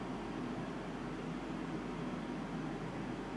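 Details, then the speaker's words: Mitsubishi DXK13YXP-W1 inverter 12,060 BTU air conditioner indoor unit at high fan speed: steady loud even rushing air, no ticks, rattles or rubbing; normal fan noise, quieter on low. "และนี่คือเสียงพัดลมครับคือขนมแอร์ครับ"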